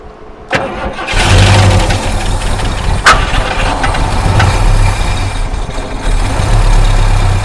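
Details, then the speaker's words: 1973 Mustang Mach 1, sitting 15+ years: starter catches, then the engine fires roughly and runs unevenly, surging and stumbling. Fuel starvation is suspected. "All right, crank on it, and then fuel should come out here if that fuel pump's working or if it's not plugged up from the tank."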